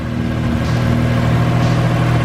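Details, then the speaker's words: 13B rotary-engined BMW E36 ute after oil cooler and thermo fans installed; quick start, smooth even rotary burble at idle with no stumbles, no leaks, runs healthy. "Give her a quick start, eh? See how she comes up. Please don't leak. How good does this thing run, man?"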